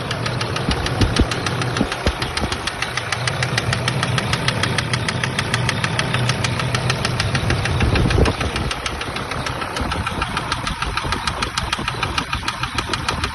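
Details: SsangYong Rexton 2 diesel that ran another 700 km after losing all its oil: a sharp, steady knock about three times a second over the idle, not from the injectors; a hydraulic lifter is mentioned as possible. Internal mechanical knock suspected, not confirmed.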